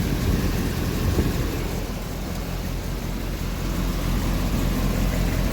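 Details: Triumph TR7 idling after an inline fuel filter install, no longer leaking fuel: steady, even idle with a smooth low rumble and no knocks or misses: normal idle.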